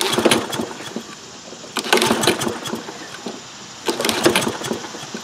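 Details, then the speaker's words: Toro Recycler 22-inch mower, single-cylinder Kohler engine with automatic choke, unused over four years, fuel present and oil low: three recoil pulls with normal compression rattle, never fires; cranks but won't start. "feels normal but it doesn't start I can feel that the engine's got compression as I pull back on the string so everything there seems fine but it's just not firing up"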